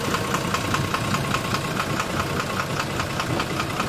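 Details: 12-M FE petrol engine at idle with a sharp, fairly regular knock about two and a half times a second riding over the idle; knocking problem, cause undetermined.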